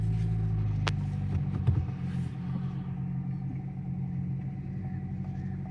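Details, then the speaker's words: Vauxhall Astra GTC 1.4 Turbo with codes for lean fuel trim, low catalyst efficiency, thermostat and intake air heater; low lumpy idle, uneven pulses about three a second; rough running, owner suspects coil pack or spark plugs, unconfirmed. "so the light has gone off but there's something definitely there that is not a fix by the way I will be getting that looked into"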